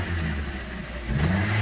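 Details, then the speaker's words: 2009 Toyota Corolla, 167,000 miles, check engine light on: petrol engine idles roughly with a low, lumpy beat and rough cranking, then a small rev; sometimes stalls at stops; misfire on cylinders one and two. "the customer's concern is it runs rough which it does it's not running very smoothly in this Bay"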